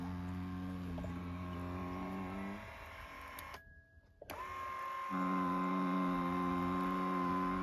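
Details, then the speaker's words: Lourdes massage cushion L (AX-HL168) pressed under body weight: steady low motor buzz with whining tone, dropping and resuming, occurring at the upper travel, fine when lower; worn roller gap makes the gear/motor area buzz under pressure. "ここを押さえると下に下がった時はいいんだけど、上のこの辺りで音がする。"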